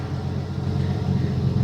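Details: 1984 Ford F-150 left in the woods since 2008, first start in ten years on fresh treated ethanol gas: deep even engine rumble with no knocks or misses as the truck moves under its own power; sounds healthy.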